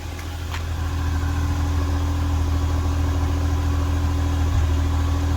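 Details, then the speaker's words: First-generation Nissan Almera 1.2 three-cylinder, warm engine idling, heard at the exhaust: low uneven chuffing with irregular puffs breaking the beat; engine stumbles and nearly stalls. Ignition coils to be checked first. "นะครับวันนี้ก็มาพบกับNissanAlmeraนะคะมีอาการเครื่องสะดุดนะครับ"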